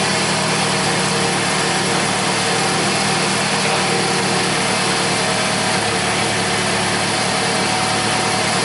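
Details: 2004 Toyota RAV4 2AZ-FE, first run after stripped head bolt Time-Sert repair and coolant refill: smooth even idle with steady hum, no knocks, misses or ticks, nothing leaking. Normal idle.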